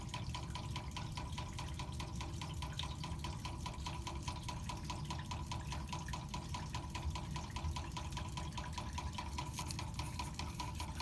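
Fast, steady ticking knock over a soft rush of flowing water, pointing to a knocking mechanism inside the meter while water runs.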